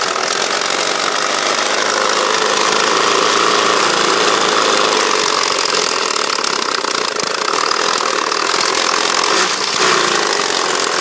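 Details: Mitsubishi Evo 4G63 turbo petrol engine idling with an uneven, rough tone and faint repeated knock; smooth above 2000 rpm but sputters and dies at idle or below; rocker arms appear fine.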